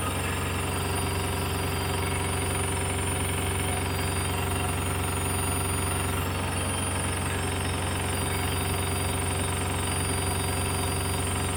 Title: Samsung washer making noise while spinning